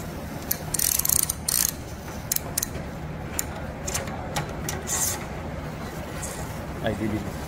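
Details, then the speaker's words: Toyota Hilux SR5 2.8 handbrake lever after cleaning and lubrication: crisp, even ratchet clicks as the lever is pulled, with no grinding or sticking; the mechanism now works smoothly. "Ó escuta o bar escuta o barulhinho como é que melhorou escuta conhece esse barulhinho"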